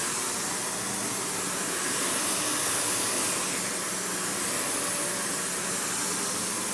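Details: Panasonic upright vacuum, one of the last sold in the US market, with bare-floor switch, low-mounted power switch, auto height adjustment and brush roll that stops when upright: steady airy rush, constant motor hum, no rattles, scraping or surging; normal running.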